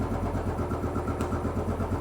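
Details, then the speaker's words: Royal Enfield Bullet 500 (last 500 UCE, pushrod, hydraulic tappets), 18,000 km, stone cold first start of day on fast idle: steady even thump, no ticking or tapping; valvetrain quiet and healthy. "Now this has done 18,000 kilometres, and yes, it's stone cold, not been started this morning."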